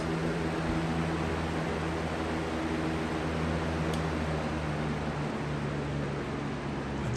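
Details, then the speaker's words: 20-inch Lakewood/Holmes box fan after replacement, on high: even whoosh with steady low hum and faint slow wobble; runs fine, slightly out of balance, no longer making the bad noise of the previous fan. "it's out of balance a little bit but it's not that big it's not as bad as the other one the other one was terrible it's not making that ridiculous stupid noise either thank god"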